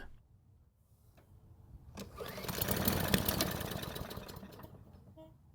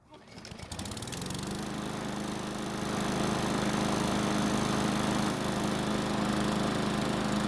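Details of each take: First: Off-brand Garden Line lawn mower, engine made in 2017 (about 7 years old), new spark plug and gasoline sprayed into carb: catches for about a second with uneven putter then dies; weak start. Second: Garden Line lawn mower, warm after about three minutes of running: catches quickly on restart and settles into a steady, even buzz with no hunting; normal warm start, though cold starting is hard and valve lash is to be checked.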